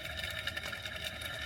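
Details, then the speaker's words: Audi 80 2.6 V6 during timing belt and water pump job: tensioner pulley spun by hand gives a dry, gritty rumble instead of a smooth spin, with some in-and-out play; worn timing belt tensioner bearing. "There's already a little in and out play there. Don't know how normal that is, but yeah."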